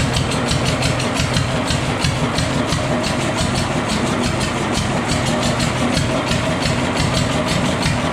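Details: Fully restored, disassembled and rebuilt Deutz stationary engine: a slow, even single-cylinder thump at roughly three beats a second, steady and free of knocks or misses; it is running healthy.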